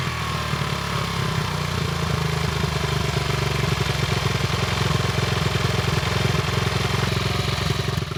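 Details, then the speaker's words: 1974 Honda XR75, 48-year-old single-cylinder, air screw 3.5 turns out, choke a third closed, fast idle: uneven thumping with rasp, never quick and crisp, burning a lot of oil, plug fouled with burnt oil; engine likely worn, probably needs full rebuild. "still not quick and crisp and it's definitely burning a lot of oil"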